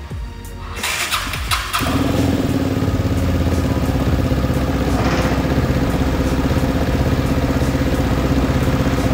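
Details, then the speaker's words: Vespa S 3V with Polini 175cc bore-up kit and Akrapovic exhaust, open intake with no filter: fires after a few cranks, then steady throaty droning hum while revving; normal intake drone, not a fault. "mungkin ada beberapa suara aneh yaitu mendengung uh uh gitu ya tadi dengar kenapa suaranya kayak gitu karena momen ini memakai snot intake jadi bisa dibilang dia Open filter open"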